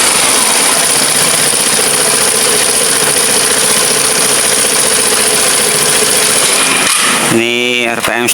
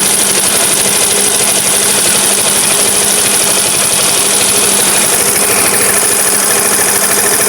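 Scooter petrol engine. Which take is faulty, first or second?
second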